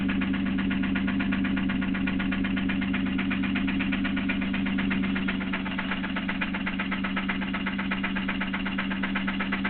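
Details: 3000GT idling with a steady, even tick about four per second over a low hum, keeping pace with the engine; owner unsure whether it is lifter tick or a spun bearing.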